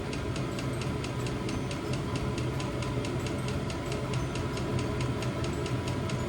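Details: New diesel heater replacing old petrol heater in VW T25 Westfalia, first startup after E10 errors in cold January; steady fan hum with even fuel pump tick about three a second, running normally.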